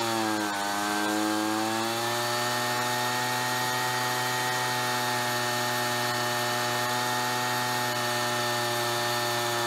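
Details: Ryobi BP42 backpack leaf blower two-stroke, 4 years old, after repairing no-spark, replacing and tuning the carburetor, and redoing the fuel lines: high buzz dips briefly, then settles to a steady, even pitch; normal running.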